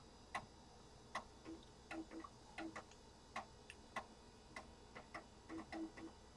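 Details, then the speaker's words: Compaq Deskpro floppy drive finishing a format and writing system files; quiet, irregular ticks and short buzzy chirps, no grinding or repeated knocking, working normally. "I'll let that crank along. It's at 70%. Looks like it's going just fine. There it goes, right in the system files to the disk."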